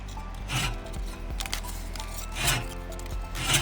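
Dry rasping bursts about once a second as the reel sweeps past; the paper drags instead of snipping, so contact with the bedknife is too light.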